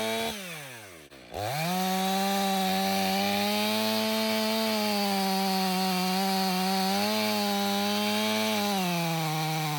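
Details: Stihl MS 500i chainsaw (62 hours, stale fuel after long sitting), warm, after recalibration and fuel purge: fires and climbs to a clean steady high scream through frozen wood, no bogging or surging. The main problem is believed to have been the fuel pump.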